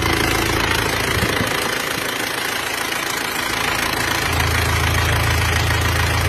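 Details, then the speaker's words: Isuzu Panther diesel after ring replacement for heavy oil consumption, steady normal idle with even clatter about three and a half beats a second, no misses, no smoke. "Untuk suaranya seperti ini, dulur. Suaranya seperti ini. Normal ya, untuk asapnya normal. Tidak keluar asap."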